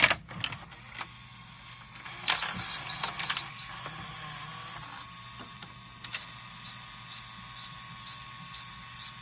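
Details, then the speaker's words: VCR after loading a cassette: quick high chirp repeating about twice a second, from a squeaking felt pressure pad needing cleaning or replacement. "Да посвистывать такое вот примерно так друзья посвистывает фетр который пора либо менять либо чистить"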